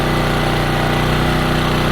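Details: New Champion generator first run after starting with the choke on and half a tank, in break-in; steady, even single-cylinder drone with a constant beat and no knocks or surging; running smoothly.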